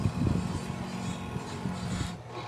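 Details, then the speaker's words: Astron spin dryer switched on via timer: steady low electrical hum, drum and motor not rotating at all; motor found faulty (failed winding), to be replaced. "ayan mga boss kung titignan niyo hindi man lang umikot Ong kanyang mismong motor bale umuugong lang"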